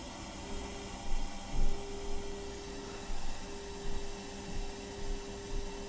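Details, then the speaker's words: Sansui G 7500 receiver FM tuner test: faint steady tone under thick hiss at 1 microvolt, cleaner at 2.5 microvolts, tuning in well without fading; normal weak-signal reception, no alignment needed. "and there it is you hear it at one micro volt and if we go to 2.5 we get a pretty good looking signal and that's at 2.5 micro volts and it tunes in really well"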